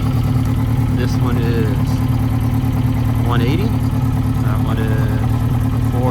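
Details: 1992 Yamaha XJ600 Seca II, running after carburettor work: uneven, lumpy idle at about three beats a second with a missing pulse; number two cylinder sounds off, misfiring from carburettors out of sync.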